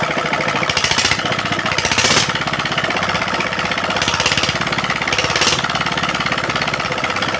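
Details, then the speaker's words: Single-cylinder diesel that had throttle rising by itself and smoking despite new nozzle, now after repair: even regular clatter at steady speed, no high-pitched whine, smoke gone; running stable and normal. "ठीक है, डीजल मित्रों, अंत में diesel engine वापस सामान्य हो गया है , ध्वनि से ही सही, अब कोई उच्च पिच नहीं है, फिर धुआं बिल्कुल खत्म हो गया है, और ध्वनि है पहले से अधिक स्थिर"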